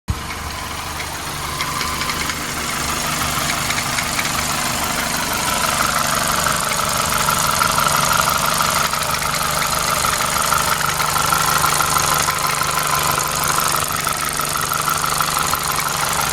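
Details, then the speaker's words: Toyota Celica petrol engine idling with a quick, steady, loud tapping rattle that sounds like a loose timing chain; owner first suspected thin oil, but the cause was a faulty worn drive belt tensioner. "So we have an issue. There is actually a loud tapping noise coming from the engine."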